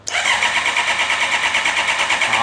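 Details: Honda CB650R that will not start, cranking while scan tool shows fuel pump control ON: fast even starter whirr that never catches; cranks but no start, ECU commands pump yet pump not running, pump faulty.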